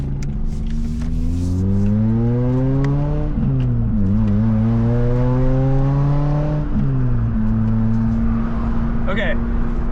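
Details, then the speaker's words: Toyota Matrix XRS E130 with 2ZZ engine, manual, new Exedy clutch, on test drive: engine pulls up through the revs, booming drone building at high rpm while quiet at low rpm; loose exhaust drone. "So, it's not bad. It could be worse, but it's not bad cuz you can't hear it. It doesn't drone that loud like when it's low RPM, but when you get in high RPM, you can hear it."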